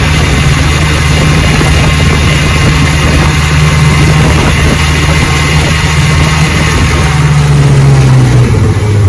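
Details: 1960 Johnson 10 hp two-stroke outboard on the lake, about 70 degrees, after gearcase rebuild and carburetor adjustment, full throttle: loud steady drone, no stumbles or surging. Normal full-throttle running.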